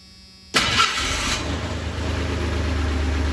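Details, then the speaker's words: 1985 Ford Ranger, first start after engine teardown where a misinstalled camshaft bearing was drilled to restore oil to the driver-side head: quick crank, fires at once into a steady, even idle with no knocks; clean start, still cold. "that's not bad at all it's running yay all right let's get this thing uh back out let it warm up"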